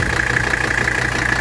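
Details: 18,000-mile 1985 Mercedes 300D (W123) diesel, cold engine just started after a brief glow-plug cycle. Even clatter at a steady idle with a constant high ring over it, no misses or stumbles: a healthy cold idle.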